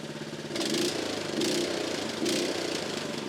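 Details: Honda small single-cylinder engine after carburettor removed, cleaned and refitted to cure fuel starvation: steady beat with mild rhythmic swells under a light blip; running healthy again.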